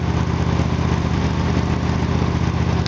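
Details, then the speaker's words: Small single-cylinder engine just restarted after its spark plug gap was widened: steady, even putter at a fast idle with regular firing and no misses; it runs smoother than before, exhaust checked on an analyzer. "now you started man pretty good that's running smoother now"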